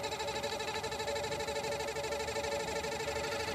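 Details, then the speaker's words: Brand-new Pentair pool pump, three months old, on low speed: a steady motor hum with a wobbling pulse about 2.5 times a second. It vibrates as if not running true; owner believes it is internal, not a squeak or loose mounting, and it fades at higher rpm. "there's a vibration to it you can feel that it's like not round you know it's not true like a wheel no it's not squeaking like it's not firmly planted on the ground or anything it definitely sounds internal"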